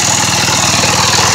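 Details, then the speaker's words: Healthy 7 hp Briggs & Stratton rider mower engine (formerly 10 hp) after valve seat peening, coil mount repair and metric bolt in stripped carburetor brace hole; steady even single-cylinder putter, quick regular beat, no knocks or misses. "That worked good. I'm happy. It sounds good."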